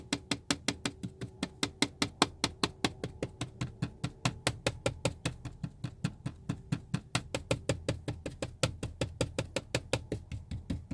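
Quick, sharp plastic ticks, about four or five a second, from a loose seat trim piece buzzing inside the cabin.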